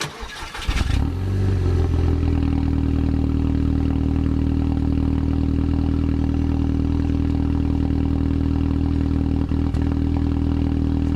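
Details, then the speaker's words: High-mileage (157,500) Mk2 Audi TT petrol engine, just started with water added as coolant, mic near engine, dash covered in warning lights: cranks, catches, settles into low idle with faint, slightly uneven stumble, slight misfire. "can see there the car is now running sounds like it's all right you can hear a little misfire there"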